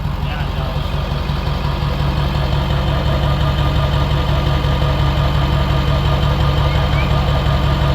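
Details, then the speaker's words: Ford 7.3 Powerstroke diesel, first start after KC300X turbo install with new stack and replaced oil cooler, on a 42° day: steady even idle clatter with smooth low rumble, no misses or knocks; sounds better and quieter, healthy idle. "we'll hear how it sounds with the new turbo and the stack. Well, first start. That sounds better."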